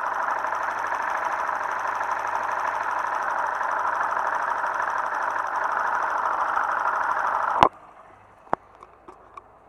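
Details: Motorcycle engine of a new bike with no noise problem, heard through a screwdriver used as a stethoscope: steady mechanical hum with light ticking about three or four a second; normal amplified internal noise, not a fault.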